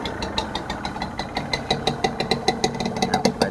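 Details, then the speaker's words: Honda NSR 150R two-stroke in original factory condition at a steady idle: crisp, even popping about six beats a second with a light metallic ring; quiet, original-seeming engine, healthy. "เสียงท่อก็จะประมาณนี้นะครับเี่ครับเครื่องเงียบจิ๊บเลยเครื่องน่าจะเดิมๆนะ"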